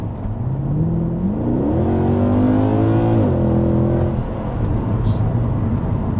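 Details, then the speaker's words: Mercedes W204 C63 AMG with the M156 V8, road-tested at about 30 mph after the cooling fan plug was reconnected to clear a fault. It pulls smoothly through the gears with no knocks and drives well; slight smoke is presumed to be leftover water in the exhaust. "sounds good that was uh 30 mph engine actually driving really well pulls well"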